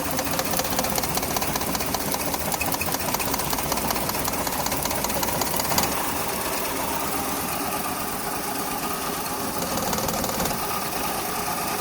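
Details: Maruti 800 AC small petrol engine idling with a rapid, uneven chatter from a misfire; cause not stated.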